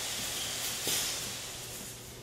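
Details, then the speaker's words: Hunter 6-inch Pro-Spray pop-up spray head on a riser in a 100 PSI water-and-air surge test, cycled 10 times twice: loud hissing screech of water rushing through under pressure; the body holds with no burst. "Wow! You can hear the screeching water as it's pushed through"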